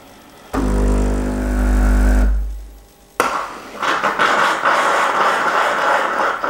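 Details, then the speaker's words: Breville/Sage Bambino Plus espresso machine manual backflush with blanking disc and cleaning powder or tablet: pump drone about two seconds, stops, then sharp hiss as solenoid valve dumps soapy water into drip tray; normal backflush cycle. "if you hear that noise basically the water's been pushed through by the solenoid into the drip tray"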